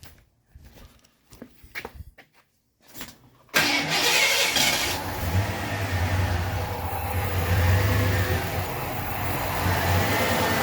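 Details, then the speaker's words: Ford F-150 fired up to check its ignition timing: the idle rises and sags in slow waves, hunting and never settling, showing the timing is off. It is to be checked at the timing mark with the bypass connector removed. "You can hear the motor kind of idle up and down, trying to find its place. So timing is has the most effect on these motors."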